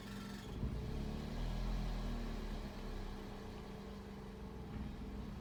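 Warm engine idles low and lumpy, speed drifting up and down with a shaky, uneven beat; rough, hunting idle, cause not yet found.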